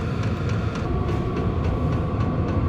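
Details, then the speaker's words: Compact VEVOR 12V diesel heater with Bluetooth, run on a battery with default settings and putting out about 163 degrees. An even blower roar with a steady whine and fuel-pump ticks about three to four a second; running healthy and fairly quiet. "And that's not that loud, guys."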